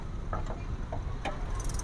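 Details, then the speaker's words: 2019 Toyota Agya TRD manual, 1200 cc, engine bay opened at idle: steady low idle with light scattered ticking, no knock or misfire. Described as this engine's characteristic normal valve tick; the engine is dry and sounds smooth. "Nah dia adanya bunyi tek tek tek tek tek. Nah jangan salah pengertian bos kalian bos. Ya bos ya, ini ciri khasnya."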